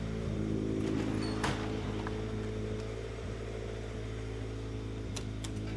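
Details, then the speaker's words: Honda CR-V that had misfires on all four cylinders, now idling with the check engine light on. A lumpy, uneven beat of about four pulses a second shows a persistent misfire now pinned to one cylinder; a plug wire is possibly at fault. "Okay. You can still hear that mist. Still doing it. Okay. So now we have a specific cylinder that's giving us an issue."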